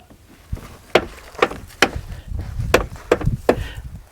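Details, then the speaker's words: Buick driver's door opened and closed, sharp dry pops through its travel from a broken door check; greasing won't cure it, door check replaced. "that is that piece right there see it that's called a door check it's broke right there no matter how much you grease it and lube it it's going to keep popping"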